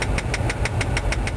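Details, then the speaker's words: 2004 GMC Envoy SLT with automatic climate control, during HVAC recalibration with blower at max: sharp even clicks about six per second, mode door actuator's stripped gears skipping teeth; air stuck on defrost. "without clicking that's the mode actuator because it's trying to cycle it right now"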